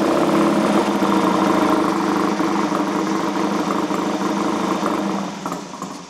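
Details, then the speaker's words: Classic twin-cylinder motorcycle with a 12V key ignition, carbs tickled, already run once that morning: uneven lumpy idle that stumbles and dies when the throttle is flipped. It won't tick over happily and the carburettors need setting up. "run already but it's sounds a bit lumpy there"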